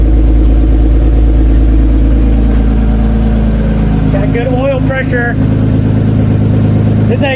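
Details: Toyota Cressida MX83, just started after engine reinstall and distributor re-timing, cold, exhaust not fully plumbed in: steady, even idle, smooth low rumble, slight exhaust-leak puff; oil pressure good, runs clean.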